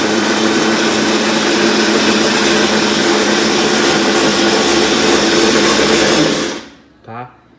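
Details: Colormaq LCA12 top-load washing machine on spin: loud, harsh grinding roar pulsing about three to four times a second, then stopping. Said to be a wiring fault at the connector joining upper and lower harness, not the control board.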